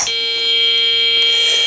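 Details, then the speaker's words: BBC Model B microcomputer after power supply recap; a continuous steady beep at switch-on instead of the usual short chime, a boot fault traced to a faulty DFS boot ROM. "couple of lights on the front of it and it just makes a continuous noise rather than going dude like it should do"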